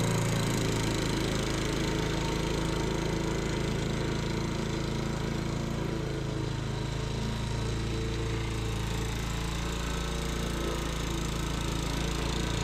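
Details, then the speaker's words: Sears Eager One lawnmower, Tecumseh single-cylinder, after makeshift connecting-rod knock repair with beer-can metal, throttle halfway, not-very-old gas: fast, even putter at steady speed with no knock; normal running. "this point, is it that old nasty gas? It ain't that old. Sounds like we got rid of that knock."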